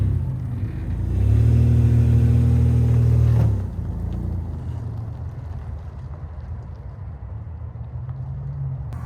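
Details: 3rd-gen Toyota 4Runner after worn U-joint replacement, driving around 50 mph: even road drone swelling with speed, no shudder or clunk; acceleration vibration gone, slight exhaust heat shield rattle remains.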